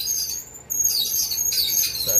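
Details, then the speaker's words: Worn idler tension pulley on a Kenmore dryer (similar design to Maytag/LG) a week after a belt replacement: high, thin chirping squeaks over the quiet running drum; replacement with an OEM idler pulley planned. "this noise can be very annoying"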